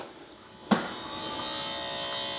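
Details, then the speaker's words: BMW 760Li V12, boot lid release pressed: a click, then a thin, steady electric whir that never changes pitch; lid won't raise and must be lifted by hand; struts replaced a year ago, so the hydraulic pump is not building pressure. "So let me just press the boot lid release button. And as we can see, it's not raising"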